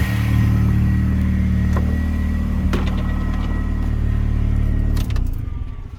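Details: R53 Mini Cooper S after reinstalling new power steering lines, assisted steering, no leaks: steady low idle hum with even pulse, no pump whine or groan, then engine shuts off; healthy.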